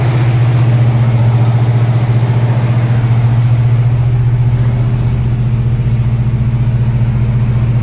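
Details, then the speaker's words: Ford Mustang Mach 1 after fixing the distributor's vacuum advance (an overlong screw shorted it, stalling the warm engine): steady, even low rumble with regular firing, no stumble or miss; idles smoothly, much better than before. "sounds good sounds really good all right we're gonna try it out now with the vacuum advance it wasn't working before it already sounds way better night and day different"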